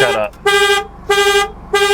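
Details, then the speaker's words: Car at auction: the engine starts but the horn blasts on and off about every 1.3 seconds and won't stop. The anti-theft alarm was triggered; it is usually cleared by unlocking with the key in the door cylinder. "great it runs but the horn won't shut"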